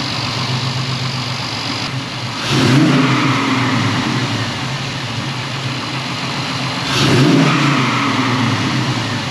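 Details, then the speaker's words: Pontiac Firebird with transplanted LS1 V8, first run in 25+ years, heard from outside after an exhaust leak fix: even idle with two clean rev blips, no leak puff or tick; alternator not charging. "Other than that, I consider that to be a successful first start, restart, I mean, successful first start."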